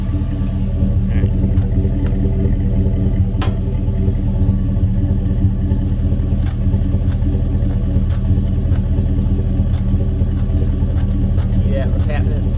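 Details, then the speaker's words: 2002 Chevrolet Silverado 1500 2WD, 5.3 L V8, P0300 random misfire, heard at tailpipe: lumpy idle with uneven chuffing and a faint tick at each misfire; scope compression test found cylinder 2 exhaust valve intermittently not sealing. "about every time that sucker misfires you can hear hear a little tick down in there i'm pretty sure i'm pretty sure it's this exhaust valve right here"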